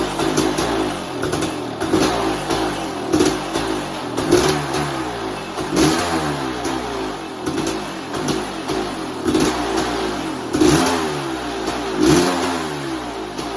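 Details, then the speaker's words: 1988 Kawasaki KX500 two-stroke, started after four or five kicks, choke not staying up: crisp crackle with repeated sharp throttle blips, picking up cleanly and dropping back; strong, healthy motor. "sounds good she'll absolutely flipping rip your arms out of the sockets when you open that throttle"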